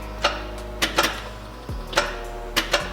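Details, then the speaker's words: Built 500 hp Subaru STI on a start attempt after a self-made wiring harness and injector-wire repair: sharp irregular clicks, about seven in three seconds, with no engine turning over; starter clicking on a dead battery. "Battery's dead, son of a bitch. I don't have any booster packs right now, so I guess we're whipping out the big old charger."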